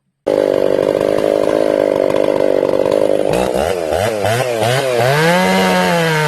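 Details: Ported Jonsered 630/266 chainsaw, warmed up and tuned in about 110-degree heat, cutting wood: scream sags and surges unevenly, bogging under load and won't hold tune; crank or bearing failure suspected.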